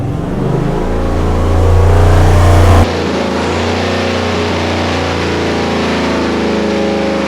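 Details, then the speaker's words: 489 cubic inch big block Chevy on dyno: hard drone under load, then the note abruptly drops and roughens; misfiring at 4,000–5,000 rpm, worse than the earlier miss at 5,700; loose plug wires or valve springs suspected. "Before it misfired at 57. Now misfiring at 4 grand, 5 grand. No good."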